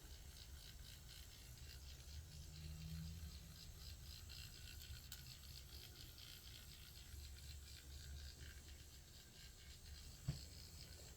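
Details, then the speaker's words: Small slow-running motor with dry bearings, humming low with a fine steady ratcheting rattle; to be cleaned, lubricated and oiled. "these bearings need to be oiled that's what we're gonna do"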